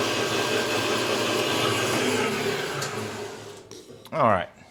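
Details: Harbor Freight bandsaw with upgraded Leeson 1 hp 1725 rpm motor, belt on the second pulley step on both wheels, one-inch resaw test cut: steady drone holding pitch without bogging, then winding down.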